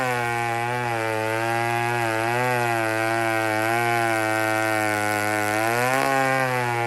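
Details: Old chainsaw (150) running after carburetor repair; strong steady high-revving buzz that dips slightly under load while cutting logs and recovers smoothly, running clean and cutting properly.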